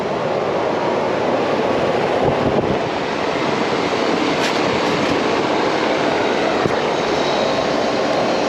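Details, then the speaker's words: Home AC condenser, system vacuumed and charged with 12 lb by weight, roughly 25 ft line set, compressor just started: even fan whoosh over smooth compressor run; normal running, later about 56/218 psi, slightly low. "did hear the compressor start we get that man to stabilize i may have to add a little bit more we'll see"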